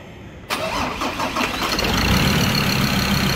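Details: Ford Ranger diesel engine's first start with fresh oil: brief crank, catches on the first try and settles into a steady diesel idle with no stumbling; starts and runs healthy.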